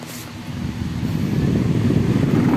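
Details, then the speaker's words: Electric floor fan spinning up into a heavy buzzing low rumble and strong vibration; the blade hub is cracked, letting the blades wobble. "Bale ang problema nito nagba-vibrate siya kapag umaandar to"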